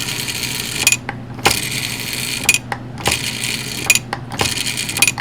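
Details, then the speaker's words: American Flyer Mail Bag baggage car with a rebuilt lever, its solenoid fed raw AC from the transformer, gives a harsh buzzing, flappy chatter about once a second. A rectifier is planned so it runs on DC and operates quietly. "Noisy, flappy, not good. So we're going to bypass that. We're going to put a rectifier in this device."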